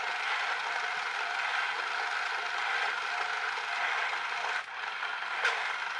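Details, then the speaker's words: Electric toy train styled like a clockwork toy, with a split, broken drive gear that needs replacing. A steady rattling clatter with irregular crunchy skips as the cracked gear teeth slip, momentum carrying it over the broken gear. "not quite as much of a failure as I thought it's obviously a bit of momentum enabling it to step over that Brooklyn gear"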